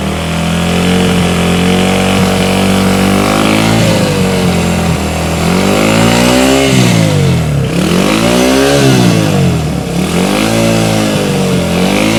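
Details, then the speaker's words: 1971 Honda CB100 single-cylinder, 2,786.6 miles, revived after decades unused and carb cleaning: fires right up and revs cleanly, pitch rising and falling smoothly, no knocks or misses; sounds good. "Oh, it sounds good. Sounds good."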